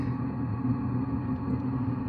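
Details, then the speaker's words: Diesel heater after carb cleaner was forced through the fuel line to clean the atomizer screen for white smoke; restarted, ignited first try, ramping up, no white smoke; steady even hum and low drone, no popping or sputter; normal running. "I could hear it ignite on the first try. Penny worth of carb cleaner fixed the white smoke on my diesel heater so far."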